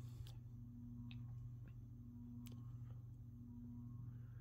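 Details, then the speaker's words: Hallmark Snugger Series SMC U52 52" ceiling fan from about 1983-85, new out of the box, stamped-steel UFO motor, blades pitched about 11 degrees, running on low. A steady low hum with a faint tone and light clicks; the installation amplifies the motor harmonics. It runs normally, though not quietly. "as you can hear, it is not the quietest fan. I'm sure the installation here definitely amplifies the motor harmonics this thing has. But other than that, pretty average low speed."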